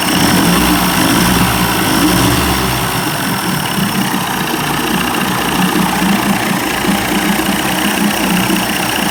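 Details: 1990s Evinrude 30 hp two-stroke outboard after carburetor rebuild: loose, slightly uneven idle that stumbles now and then but keeps running, improving slightly; fuel leaking at a gasket.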